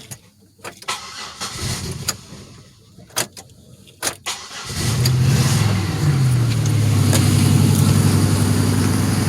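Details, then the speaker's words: 2006 Pontiac Grand Prix, no cat, mufflers and resonator, downpipe bolted but flange unwelded: cold start catches and settles into a loud raspy idle with a fast ticking puff, exhaust leaking at the downpipe flange. "Wow! Well, it definitely still has a couple leaks."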